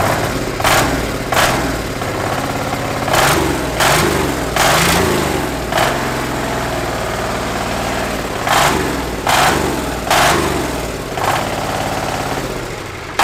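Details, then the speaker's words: 1300cc Chinese diesel V-twin on a strapped stand, first startup: lumpy twin beat climbs cleanly on each throttle blip and drops back to a steady idle, nice and responsive; normal healthy running. "I mean, That sounded awesome. it did. It sounded good. Nice and responsive. Yeah, and just like that twin grunt."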